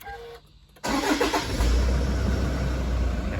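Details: Diesel at 335,000 km, started after an oil and filter change to check the oil level: starter chirps once, engine catches straight away and settles into a steady, even idle with no knocks; healthy start.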